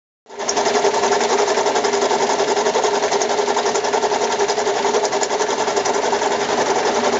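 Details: Mazda 6 at idle, noise started this morning, oil level fine: fast, steady mechanical knock and rattle about four beats a second; cause unknown.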